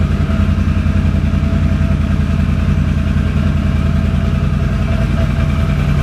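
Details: 2006 Can-Am Outlander Max 500 ATV idling after a bad battery (no ECM communication) was replaced with a new 12 V AGM battery: smooth, even idle with a steady low thrum, no misses or knocks; healthy normal idle.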